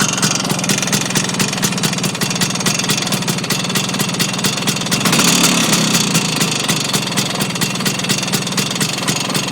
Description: Vespa Engine has developed knock, doesnt seem to be related to gears or clutch as makes no difference when clutch is pulled in or what gear is selected, would it be engine bearings?